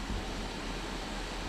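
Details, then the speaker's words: JP diesel hob/heater newly installed in a Fiat Ducato campervan, fan on full; steady even airy rush with low hum, slight pump ticking possible, no surging or rattling; normal fan noise at full power. "that's the fan and that's on full glass at the moment you might be able to hear some ticking noise from the pump"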